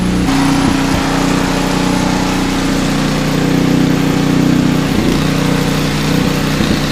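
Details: Brother's snow blower just after a tune-up and oil change, unused for a while, on a 51–56°F January day. A steady single-cylinder putter with an even, constant pitch and no misses or knocks. Normal running.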